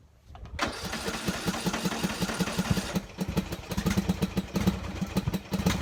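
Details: Poulan riding tractor single-cylinder after carburetor removal and cleaning: brief crank, catches into steady even putter with no misses; smoking because exhaust filled with oil; running normally.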